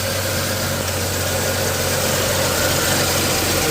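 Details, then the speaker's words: 1987 Chevy S10 2.8 L, reassembled after fixing a stall and no-start: an even, steady idle with a smooth low drone and no misses, ticks or knocks; the engine sounds healthy. "There we go. Just in case you guys didn't believe me, it's all put together and running."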